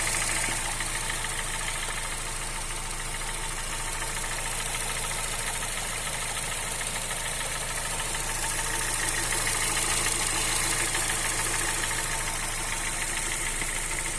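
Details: Honda Fit 2007/2008 1.5 VTEC CVT at idle; light quick tick about three per second from the top end, cause unknown: valves adjusted twice without help, not A/C compressor bearing; stops when engine very hot, in gear or with A/C on.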